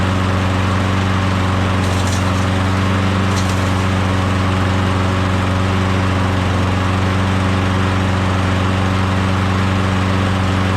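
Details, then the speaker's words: Craftsman self-propelled mower with Briggs Quantum engine after compression test, engine previously stalling with suspected timing issue but flywheel key checked OK: starts easy, steady even drone at constant speed, no surging, misfires or knocking; running smoothly. "sounds good starts easy sounds good that's it we're gonna put this engine onto that mower"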